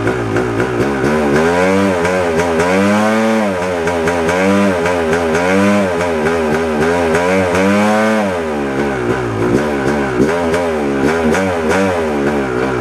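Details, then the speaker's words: 1997 Yamaha YZ250 two-stroke, warm, buzzy revs rising and falling in slow surges, hunting and stumbling at light throttle; sputters more in gear with clutch pulled than in neutral. Owner suspects crankshaft/crank seal, not confirmed. "Uh, after all, it's it's acting up when I put it in gear. Not so much when it was in neutral and I pulled the clutch in and, you know, started playing with the throttle and not so much sputter when it was in first gear."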